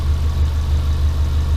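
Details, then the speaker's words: Subaru Impreza boxer engine rebuilt with SOHC heads, first start, idling to burn off smoke and open thermostat: low steady burble, even pulses, no ticking or knocking; very low load. Normal idle. "So I'm going to let it sit and idle for a little while, let some of this stuff smoke off, try and get the thermostat to open up, make sure my coolant's topped right up,"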